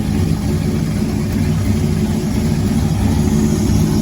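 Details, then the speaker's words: Nova race car V8, first running engine in 38 years, restarted after refitting the thermostat housing to fix a coolant leak: steady, even low rumble at smooth idle with no misses, knocks or ticks; leak fixed, sounds good. "okay we put the water thermostat housing back on so we're going to bust it off here again and see if we got this leak fixed oh that sounds good"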